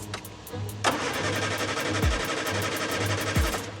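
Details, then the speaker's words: Morris Minor, about 26,000 miles with current owner, first start after engine rebuild for major oil leak: cranking chugs, then catches and settles into an even, steady tick-over; healthy running. "Wow, that sounds really good. Wow. Sounds incredible. Yeah, it really ticks over well."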